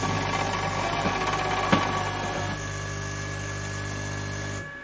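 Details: Bosch CTL636ES1 built-in fully automatic coffee machine that won't grind: only the steady pump hum and water flow through the cycle, no grinding at all, only water delivered; the grinder is not running.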